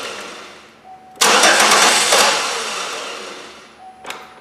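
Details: Chevrolet Impala, possibly 2011, towed in as a crank no start, fuel pressure gauge fitted, little fuel at the rail: steady starter cranking with no catch or firing; low fuel pressure, fuel pump suspected.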